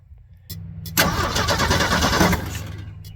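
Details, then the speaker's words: 1979 Ford F150 shortbed 4x4, 300 straight six, sat 4 years, after squeezing a broken part for contact: strong, even cranking about three turns a second, spinning freely but not firing; fuel not yet added, later gravity-fed from a tank on the roof. "all right we got cranky let's add some fuel"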